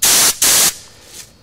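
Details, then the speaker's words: 1970 Mercedes-Benz 280 SE brake diagnosis, about 120 psi shop air blown through a line for comparison with a collapsed 42-year-old rear flexible brake hose: two sharp loud hissing blasts of unrestricted air; free flow. "I've got about 120 lb of air through here I use my knee to push down on it you can hardly hear anything"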